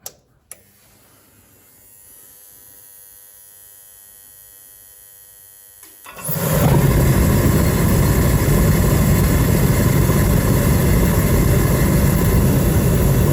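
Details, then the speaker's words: Diesel space heater in a garage, just fixed and reassembled with a full diesel tank, fired up: quiet, then a steady loud blower roar with even combustion rumble while burning off dust. Running normally after repair. "Don't know if you can hear me over that row. I'm just going to let it run for a little bit, let it cycle and let it sort of blow any dust and crap out."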